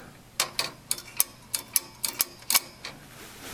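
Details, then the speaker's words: Ms. Pac-Man Cabaret (mini) arcade machine on coin-up: no game audio, only about ten sharp irregular clicks in under four seconds; monitor lights but no motherboard activity, sound output dead. "noise no sound nope nothing's happening"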